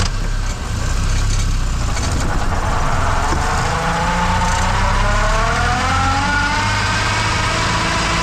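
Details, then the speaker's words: Manual transmission in reverse: over the engine rumble, a clear whine rises in pitch as the car speeds up; normal, since the straight-cut reverse gear is noisier than the helical forward gears. "es totalmente normal esto sucede en muchos vehículos porque el engrane de reversa es un engrane recto que característicamente es más ruidoso"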